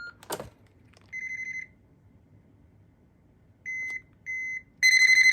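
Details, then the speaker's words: 1997 Panasonic KX-TCM422 analog cordless phone: click, one high beep, then two short high beeps after holding the ringer button, confirming the ringer is switched off. "To turn the ringer off, you press and hold ringer until 2 beeps sound."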